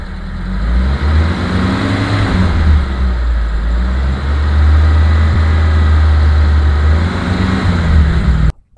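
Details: 2010 Mitsubishi T120SS fuel-injected pickup: a steady, even low idle rumble with no knocks, misses or hunting. The engine is dry and not smoking and stayed normal when revved to 4000 rpm. Finding: normal, healthy idle.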